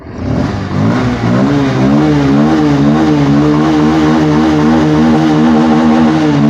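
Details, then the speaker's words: Bajaj Pulsar 150 BS6 that would not hold idle and had low pickup, after the full throttle body was replaced (MAP sensor alone still read wrong); TPS about 9% at idle: clean climb to a smooth, steady high rev. Normal revving. "வண்டி வந்து இப்போ நமக்கு ஐட்லிங்கும் கரெக்டாக இருக்குது, பிக்கப்பும் சடனாக எதுவும் அடைக்கிற complaint எதுவும் இல்லை,"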